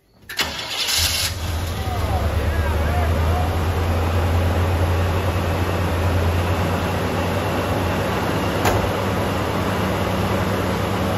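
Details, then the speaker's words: 1979 Chevy K10, small block 350 V8, abandoned 20 years, restarted after extra fuel (carb may be leaking a little): a smooth, steady idle with no valve train noise, knocking or vibration. "small block 350 sounds amazing really smooth no valve train noise no knocking really no vibration at all"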